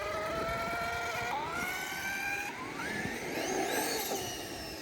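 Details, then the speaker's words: A Traxxas X-Maxx eBay belt drive retested after tightening the belt gives a smooth whine climbing in pitch under full throttle, with the earlier clicking gone. It sounds right, though tension may be slightly high. "but then when you really start to give it throttle it sounds alright you can just hear the belt now"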